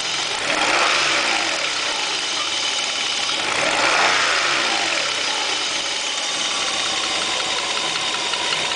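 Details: Opel Omega 2.5 V6 at idle with the oil filler cap off: quick light ticking at about four per second, hardly audible with the cap on. Mild crankcase smoke, no water or oil use; cause unknown.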